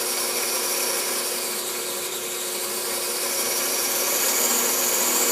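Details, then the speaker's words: Vintage Singer 95-1 sewing machine after timing/drive belt replacement and hook re-timing, driven by a clutch motor started slowly on purpose: light, even whirring with a soft tick three to four times a second. Normal running. "i have a uh pretty powerful quiet relatively new clutch motor on here so she will overcome any resistance on the machine that the belt is providing so here we go there it is starting out slow i'm doing that on purpose"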